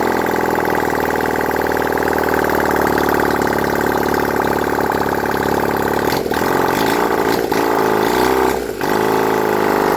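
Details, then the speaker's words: Honda CD175 barn-find motorcycle, timing set, engine reinstalled: runs steadily, then stumbles and dips three times as it runs out of fuel; fuel starvation sputter. "Yeah, it's running out of fuel there, that's the only reason it's spluttering a bit, but she's running, guys."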